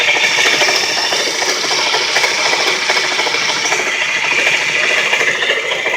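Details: Worn bearing in a 2-year-old, 20k-mile 130 amp alternator on a running engine, making a harsh continuous ratcheting grind that got progressively worse. The crank pulley and tensioner were suspected first; the alternator was replaced.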